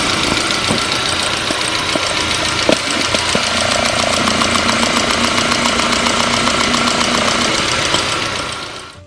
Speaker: all four of these injectors are in good shape but let's go ahead and listen to all four so you can hear the consistency